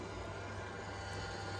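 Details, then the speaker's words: Pierburg CWA400 electric intercooler pump newly installed on a 2019 Dodge Charger Hellcat, vacuum-filled and PWM-controlled: steady, even low hum and whir with no knocks or surging; the pump runs smoothly, no leaks. "You can hear that pump just running. Check for leaks."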